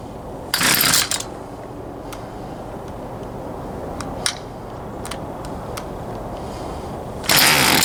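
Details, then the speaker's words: Poulan Pro 222 38cc chainsaw with an incorrectly routed fuel line (the return line was missing earlier): two pull-cord rips with no firing. It wants to run but won't; a carburetor fuel-delivery problem is suspected. "I believe we still have a carburetor field delivery [Music] issue try it one more time and I'm pretty sure we're going to have to go back in there figure out this carburetor issue"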